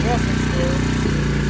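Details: Tao TBr7 250cc single-cylinder, new PZ30 carburetor installed after sitting a month, choke on, in neutral, warming up: steady fast thumping idle a bit higher than it should be, no dips or hunting.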